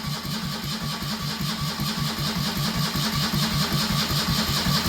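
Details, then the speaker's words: Citroën 2CV with newly swapped engine, ignition disconnected, open headers: steady starter cranking at about five pulses a second with no firing; tone changes and firms up as oil pressure builds. Normal cranking without ignition. "So there's our oil pressure lights. So, in [Music] theory, oh, the oil's getting range. You can hear it changing tone, spinning"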